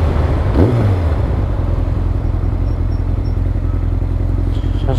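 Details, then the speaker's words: Yamaha XJR1300 with twin exhausts, manual choke, on a damp test ride: deep, even exhaust burble, idling about 1200 rpm and rising and falling smoothly with throttle, no knocks or misses; normal. "that sound sweet? Ticking over a nice 1200."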